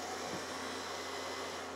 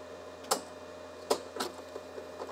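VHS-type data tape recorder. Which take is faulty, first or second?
second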